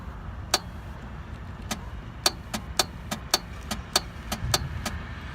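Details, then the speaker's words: 1997 BMW R1100RT with 56,500 miles that won't start despite a battery and a jump: sharp, isolated, irregular clicks with no cranking. The starter solenoid clicks but the starter motor is dead. "there is a clicking sound that you will hear and that clicking sound is from the solenoid switch on a starter that would actually engage this sprocket to the flywheel but the motor is the one that is not working"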